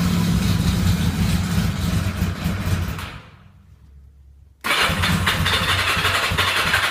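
Cold four-cylinder bike fires ragged, nearly dies for a second or so, then catches again unevenly; struggling cold start, cause unknown.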